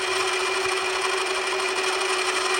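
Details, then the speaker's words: Hand milling machine at 720 rpm, conventional milling partway into a steam engine part: a steady, even cutting hiss with a constant tone and no chatter or squeal; feels better for the machine and runs smoothly. "feels a lot better for the machine. I've gone in nearly half of the cutting bit already. And you can hear the difference in that once I start engaging the cut."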